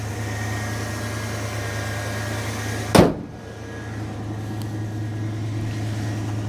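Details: 1980 Dodge W200 Sno-Commander plow truck after a reman AC Delco starter replaced the failed one: steady low V8 idle holding even, one brief nearby clunk, no misses or knocks; engine healthy.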